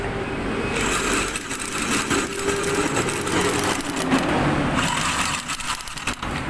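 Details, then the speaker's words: Sniper 155 motorcycle that won't start, engine check light on: starter spins the engine fast and light with no compression strokes, because the failed tensioner let the timing chain loosen and drop off the crankshaft sprocket; loss of compression. "so ang sira nito tensioner so lumuwag tumalin yung kadena dito sa crown shop nalaglag So hindi na to umiikot"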